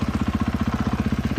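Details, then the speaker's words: 2014 Husqvarna FC 450 bought not running, after throttle cable repair, tires set to 13 psi and chain tightened; steady, even thumping of about fourteen pulses a second with no misses, doesn't stall when put into gear; normal idle. "Motor honestly still doesn't sound bad at all. It doesn't stall out when you chuck into gear."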